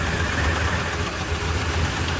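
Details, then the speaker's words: 2015 Ford Super Duty 6.2L V8 misfiring after new plugs and coils. Uneven, lumpy idle with a steady stumble; cylinder 7 is a completely dead hole, with its valve appearing hung up and not closing; dead cylinder misfire. "that's a completely dead hole I don't know if that valve's moving valve should be moving"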